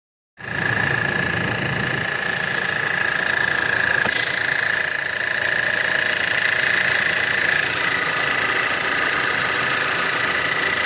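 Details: 2012 1.8 TSI Combi cold start: fast, even tapping about four times a second under a steady high whine at cold idle; knocking when cold, cause unknown.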